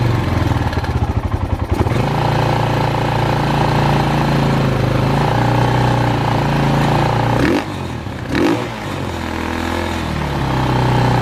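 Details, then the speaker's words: Polaris Predator 500 ATV, first start after DIY carburetor clean, fuel in tank, no leaks: rapid even cranking for nearly two seconds before the single fires and settles into a steady rumbling idle; slow starting. "took a little minute for me to crank up"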